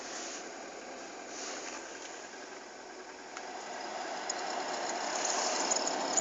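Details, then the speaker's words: VW Polo Sedan on a cold car in a cold cabin at -16°C after sitting all night, heater on with recirculation: a steady fan whoosh with a thin squeal heard at third speed and gone by second. The blower is squeaking. "Скрип печки на холодной машине и в холодном салоне."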